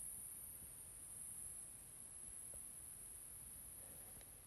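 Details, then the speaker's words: Milwaukee M18/M12 battery charger with a brand-new 3.0 battery fully seated, after unplugging two minutes to clear red-green flashing: faint steady high-pitched hiss while charging, no clicking or pulsing; normal charging sound, same on two other identical chargers. "everything that we've found shows that this is actually a normal sound"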